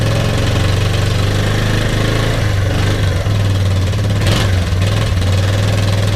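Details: Kawasaki KLF300 Bayou quad from a scrap yard, spark plug fitted and fuel put in the cylinder: single cylinder idles with an even low thump and steady pulse, no misses or knocks; runs normally.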